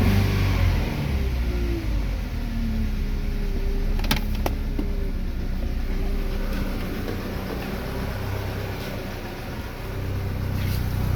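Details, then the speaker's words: Chevrolet Lacetti/Cruze 1.8: smooth throttle blips rise and fall cleanly with no stumbles or popping, no exhaust problem; normal revving. "Глушителda ham muammo yo'q."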